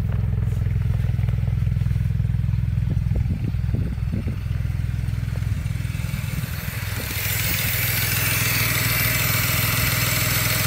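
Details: 2007 BMW 335 after winter storage and a valve cover gasket change, with fault codes: rough, lumpy idle stumbling about three times a second over the engine drone; misfire, cause not yet found.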